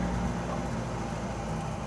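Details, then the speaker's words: MGB petrol engine with low compression on two cylinders, choke partly out since it won't stay out: rough, breathy chuffing over a choked idle, heard through the battery compartment, then revs up; exhaust blowing, exhaust leak. "Exhaust blowing. I can hear it through the battery compartment."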